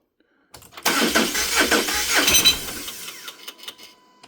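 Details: 2018 Subaru Crosstrek FB20D direct injection, 210k miles, on jump pack at 12.73 V: two seconds uneven cranking with light metallic pinging rattle, no start; timing cover recently off, HPFP line reconnected; code P1604; timing off a tooth, fuel pressure or air leak suspected.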